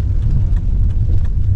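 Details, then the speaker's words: 2016 Daihatsu Ayla test drive over bumpy road and speed bumps after replacing original shock supports (strut mounts) and stabilizer links; only steady road rumble, no knocks or clunks, front suspension quiet, clunking cured. "aman nih aman Wah sangat nyaman teman-teman nyaman sekali sip ini ada polisi tidur lagi aman nggak berbunyi sekali nggak berbunyi sama sekali ya teman-teman untuk grujukannya intinya sudah sembuh"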